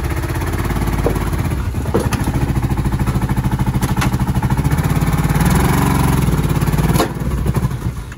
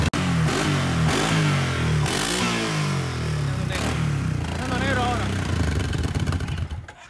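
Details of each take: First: 2010 Kawasaki Brute Force 750 ATV at idle: lumpy, uneven thumping about three to four beats a second with missing pulses; one cylinder not firing. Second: 2010 Kawasaki Brute Force 750 twin after the previously non-firing cylinder was made to work: deep, even beat through several throttle blips, revs rising and falling smoothly, both cylinders firing cleanly; now runs clean with more torque.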